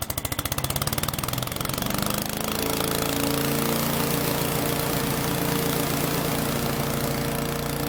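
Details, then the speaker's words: Troy-Bilt chipper shredder model 24A-414B711 final demo after a new carburetor fuel line fitting and an oil change; small single-cylinder engine settles from a choppy start into a steady, even idle with no knocks or misses. Normal idle. "anyway for what it is it's working good so it's ready to go"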